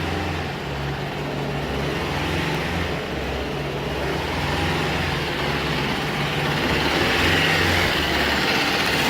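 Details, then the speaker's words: Engine on a wood-gasifier-fueled Ninja, warming up at idle, unloaded and not driving, running on wood gas: steady, even low idle with smooth pulse, no misses or knocks; normal idle on wood gas. "but a warm up a bit sitting IOA we're not driving yet we're also not pulling real hard either"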